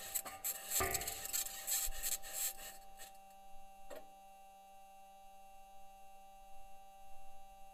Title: Squeaking Sound from Perseverance Rover